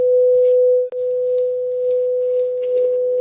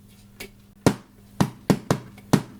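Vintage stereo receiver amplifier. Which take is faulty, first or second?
second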